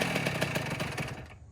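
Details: 2009 Kawasaki KX85 two-stroke after rejetting from 35 pilot/135 main to 40 pilot/140 main: crisp, evenly spaced pulses revving cleanly then dropping away; carburation now right, engine running properly.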